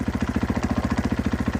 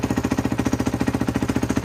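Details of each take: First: Cold 2014 Husqvarna FC 450, unstarted for a week or two, at fast idle: fast, even rattling pulses over a low thump with no odd knocking. Most of the clatter is clutch chatter, changing with clutch in versus out. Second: 2014 Husqvarna FC 450 single, picked up not running, old fuel, throttle cable repaired; first startup after priming fuel, settles into steady but slightly low idle with rattly exhaust needing repair; normal idle.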